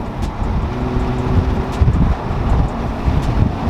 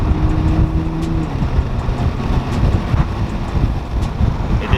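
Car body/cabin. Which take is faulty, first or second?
second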